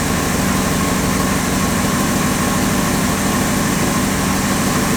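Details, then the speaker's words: 1962 Ford Thunderbird Landau 390 V8, sat several years, just after fuel pump replacement: even, smooth V8 idle with a steady low rumble, no ticks, stumbles or misses; normal idle. "And we're running. You just never know when you get in these things what's going to happen."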